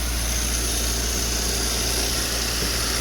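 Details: Citroën 2CV that hadn't run in a long time, started without a booster on a charger reading 38%, though the owner expected it not to start: a steady low hum with a hissy top end, no knocks or misses, an even idle.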